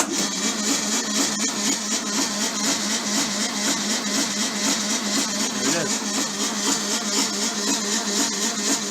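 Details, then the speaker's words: VW bus engine with very high compression on a 6-volt system, all plugs pulled and a test light on the oil pressure sender. Slow, regular churning at about two strokes a second with no firing; the 6-volt starting system is too weak to spin it fast enough. "so I also had to pull all the plugs out because I just can't get this thing to spin over fast enough with a six volt system so here we go"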